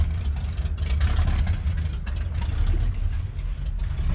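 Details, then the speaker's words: 1971 Ford crew cab, rebuilt 352 FE V8 running cold through headers and open glass packs: a loud, lumpy idle with a faint sharp ticking from poorly sealed header joints leaking exhaust; the surging at cold idle is suspected to come from the PCV valve. "Got a couple exhaust leaks, of course. Go figure. Those headers aren't really sealed that well. You hear that ticking sound."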